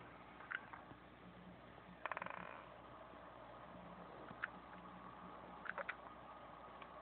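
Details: Seagate Barracuda 7200 750 GB backup drive, overheated after running two days on a USB SATA/IDE adapter: quiet hiss with sporadic sharp clicks and short high chirps every second or two; drive fails to spin up or read.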